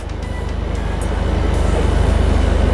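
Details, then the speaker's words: Volkswagen Golf R after an exhaust clamp repair, pulling away: soft even low thrum pulsing steadily, no rasp or blowing leak; exhaust now sealed and quiet where it used to be loud. "look at that wow I can't even hear the like can't even hear the engine anymore"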